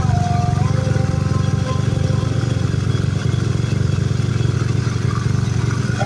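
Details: Honda Beat scooter with lost ignition, after refitting the coil: starts immediately into a steady even low putter idle with no misses or knocks; sounds healthy.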